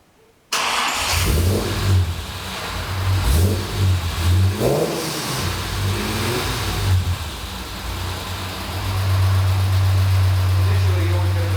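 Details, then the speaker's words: Jaguar E-Type during a service, starting up: engine catches with a brief rough patter until oil pressure comes up, then settles into an even, steady run, much smoother than before. Normal running. "I'll start it up for you and I'll let you ever listen to it and uh then I'll pick the camera which she running beautifully at the moment"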